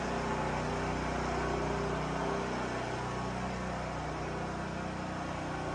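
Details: New Holland Agriculture 6500 W generator, engine freed after seizing from running low on oil; restarted with valve cover back on, spark plug installed, fresh gas, choke pulled. Steady, even drone at constant speed, no knocking or hunting; running normally.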